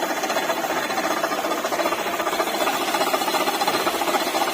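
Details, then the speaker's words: Maruti Ertiga (latest model) engine idling with AC compressor off: gritty chattering whir, suspected water pump bearing noise. "Belt उतारने के बाद हम check करेंगे हमें कंफर्म हो रहा है जो वाटर पंप की आवाज़ आएंगे"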